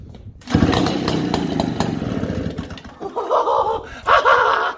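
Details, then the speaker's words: 1947 Mall six-foot two-stroke chainsaw, cold start at about 30°F: fires after a short pull, runs with a crisp two-stroke rattle, then revs cleanly in strong bursts; healthy runner. "so yeah anyway so we got a running machine at idles now too so that's cool"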